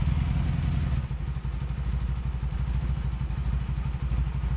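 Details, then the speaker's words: 2002 Honda Magna VF750C after setting plug gaps to spec, warming up with one side cold: uneven lumpy idle with stumbling pulses, popping on one side; misfire persists, cause not yet found. "you hear it missing hear it a little popcorn popping popping on that side"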